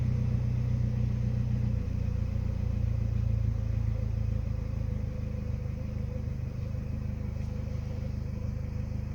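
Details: Mazdaspeed3: low steady idle with slightly uneven pulse, about three to four beats a second wavering; mild rough idle being pinpointed, cause not found.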